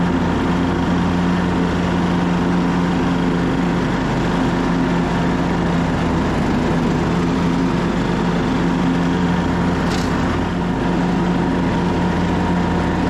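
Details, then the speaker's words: 2014 Craftsman T1600 lawn tractor mowing with blades engaged, after refitting the deck with a tighter belt; blade safety switch bypassed: steady, even drone with no slapping, squeal or bogging. Cuts much better. Normal mowing. "let's fire it up and see if it cuts better it's much better"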